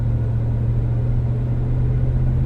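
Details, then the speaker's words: 2015 Ram 1500 driven up to about 45 mph: a steady low drone under road noise while accelerating, almost gone when coasting with no load on the drivetrain; the customer suspects rear-end carrier bearings, but the cause proved unexpected. "Customer's complaint is of a noise in the rear end. They think it's carrier bearings."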